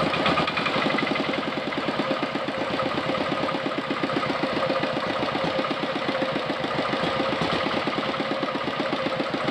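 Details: Diesel engine R180 single-cylinder on a tractor, after adjusting the governor (kupu-kupu) idle setting that was too high: steady, even thump about five to six beats a second, no misses or surging; smooth low idle, normal.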